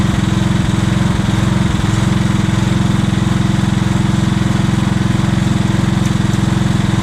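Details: Revived old Scag hydrostatic walk-behind mower with a new carburetor and ignition coil: steady, even engine note with no misses or knocks. It runs as smooth as a newer Scag with 200 hours.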